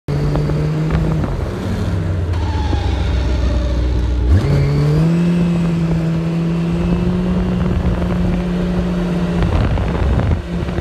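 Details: Loud whine rising in pitch then holding steady while slowing with engine braking, under wind noise; owner calls it clutch noise, never heard before, belt is new; source unknown.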